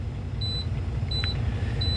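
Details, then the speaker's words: Diesel semi truck idling, air tanks refilling after leak, secondary filling before primary: short high beeps about every 0.7 s over low idle; low air pressure warning, transmission may not engage. "secondary always gets up filled first before the primary gets filled up you're going to have um the alarm go off you're going to have the system air pressure low transmission might not uh start meaning I can't move even if I wanted to"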